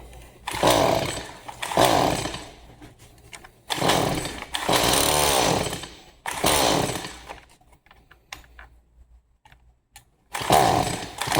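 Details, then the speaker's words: Stihl MS 180 C chainsaw, won't start, on starting fluid with half choke: catches and revs a second or two several times, then dies each time; won't keep running, gummed-up carburetor suspected. "All right, so it will start on starting fluid. Um more than likely it's a gummed up carburetor."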